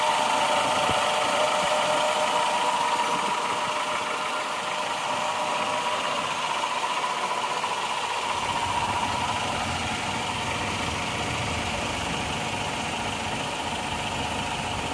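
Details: Suzuki Escudo 2.0 petrol engine after repair for burning oil and white exhaust smoke: steady, even idle with a smooth hum, no knocking or misses, and no smoke; the engine is running healthy.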